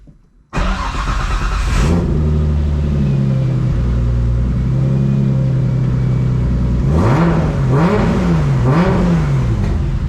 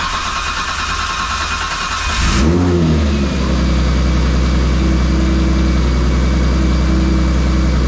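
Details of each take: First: Nissan R32 Skyline after fitting a Kinsler cam-driven mechanical fuel pump, Radium external FCST and cam trigger kit, timing set: short crank, then it fires and idles steadily with three clean rev blips; needs extra cranking to build fuel pressure; normal running. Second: R32 Skyline after installing a Kinsler 700 series cam-driven mechanical fuel pump and Radium external FCST: a couple seconds of extra cranking with no priming while the pump builds pressure, then it catches, revs and settles to steady idle; timing set, running great.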